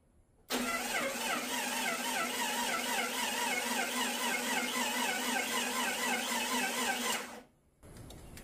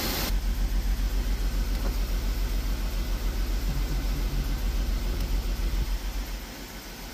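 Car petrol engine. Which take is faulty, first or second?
first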